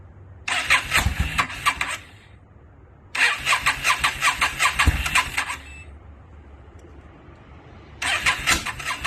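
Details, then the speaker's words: 2002 Yamaha V-Star 650, newly acquired and started cold on choke: three separate bursts of fast, chattering cranking, a couple of seconds each, engine never catches; flames seen at the exhaust, owner suspects too much gas. Hard starting. "Pretty sure I got the flame shooting at the back too. Oh, we got flames? Yeah. Too much gas."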